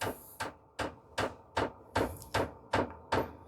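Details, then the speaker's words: Vevor 8kW 12V diesel parking heater first-startup priming: fuel pump ticks sharply and evenly about 2.5 times a second over a soft blower hum, pushing air out of the fuel lines; normal. "when you have started this Prime priming process you will hear the pump started ticking it will started to pump diesel through the fuel lines and that will get all the air out of the fuel lines"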